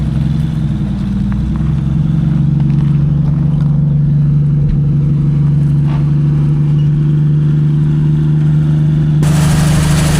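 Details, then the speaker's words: 1951 Kaiser Special, started again a year after being revived, warming up; steady, even low rumble with no knocks or misses, holding a smooth idle; the engine runs really well. "Well, that's pretty good. >> Yeah, that was fab. >> That runs really well."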